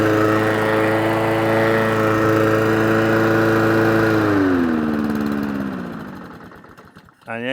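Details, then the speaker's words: Old Mountfield mower, on choke after carb cleaner was sprayed into the head: it runs steadily at about three and a half beats a second, then sags and dies within two seconds and won't restart on choke. Carburetor fault causing stalling. "the engine cuts out, which means it's a carburetor fault. And it won't restart on choke."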